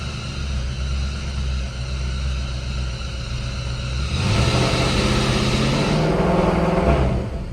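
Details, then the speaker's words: Car started: low rumbling idle, then a droning tone climbs and holds with the revs before dropping away; owner blames the alternator, belt already tightened, new alternator ready to fit. "Oh, it's so weird. That alternator sounds terrible."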